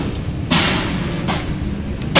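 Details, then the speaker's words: Lift travelling at 3.5 m/s in very bad condition in a building under refurbishment, heard riding on the car top: loud hard bangs about once a second over a running rumble; it keeps banging its rollers. "this lift is going 3.5 m a second and it keeps bagging its rollers all the time and it's in very bad condition"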